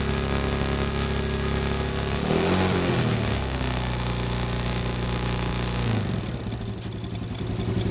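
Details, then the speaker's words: Motorcycle, single-cylinder, after new CDI and ignition coil: revs cleanly from idle when throttled and settles back smoothly, crisp even firing with no misses. Healthy revving. "Yan yung kanyang menor. Pag piniga ko, yan, o, napakalakas"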